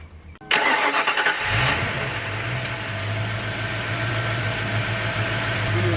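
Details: 1993 Ford Mustang Cobra 5.0L V8 with hesitation at 2000-3000 rpm and a lean, hot cylinder: short crank, catches, then settles to an idle with a faint uneven lope; one cylinder is not firing.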